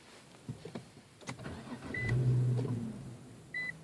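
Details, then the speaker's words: M37 car: engine fires and swells under a second then dies, dash lights on and chimes, stalled at least ten times in a row, including with brake pressed; starts then stalls. "killed again all the lights are on you can see the dashboard going to try it again killed again"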